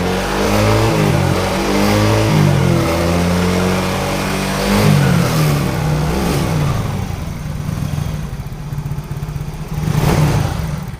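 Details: Yamaha Mio J fuel-injected scooter that arrived completely dead with a flat battery. After the battery is charged it starts, revs climb and fall smoothly, then it settles to a steady idle with no clatter; it runs healthy.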